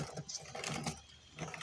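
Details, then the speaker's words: Motorcycle drive chain at correct tension but dry and poorly lubricated, wheel turned by hand. Irregular dry crackling and ticking; excessive play means the chain is due for replacement, though the sprocket is still fairly intact. "pero aparte de que está seca no al girar se escucha el estralo"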